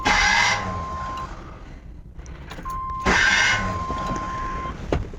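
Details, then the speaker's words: 1996 Chevy K2500 5.7 Vortec: two short cranking bursts with whining starter and harsh gnashing, not catching; starter pinion chewing damaged flexplate teeth, takes about 20 cranks to start. "it takes about 20 cranks to get it going what's working good man just kept chewing away as chewing away so I got a new starter no flex plate"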